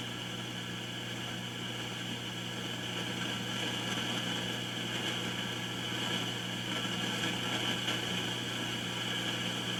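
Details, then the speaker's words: Kay K550 amplifier resistor under test, one end heated with a soldering iron: steady hiss and faint crackle through the speaker swell louder as it heats, then die down as it cools, confirming a noisy resistor. "hear how noisy that's getting so i'll let that cool down listen you can hear it dying down"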